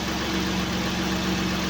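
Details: Acura MDX J35A5 V6 idling after a knock repair (piston 4 replaced, rings, clogged oil passages flushed, new gaskets): even, steady hum with a smooth low pulse. No knocking, sounds healthy.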